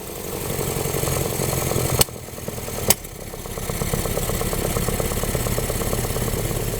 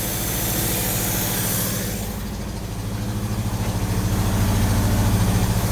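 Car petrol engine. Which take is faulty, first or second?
first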